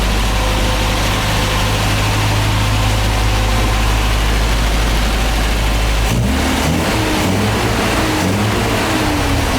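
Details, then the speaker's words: MGA 1600 roadster with new cheap exhaust, hot start, timing bumped up, slight electrical miss noted: steady idle then quick crisp revs with rising pitch, peppier and quiet once fuel pump keeps fuel; running normally. "A little peppier. Once that fuel pump has fuel all the time, it's kind of quiet."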